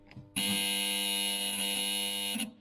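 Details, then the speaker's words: Austin Healey turn signal unit with two magnetic relays, removed and bench-tested on battery charger power. A steady, harsh doorbell-like buzz lasting about two seconds, the same sound heard in the car when run off the charger. The relay buzzes instead of pulling in. "sounds like a doorbell. And this is exactly the same sound that I was getting on the car running the power off the battery charger."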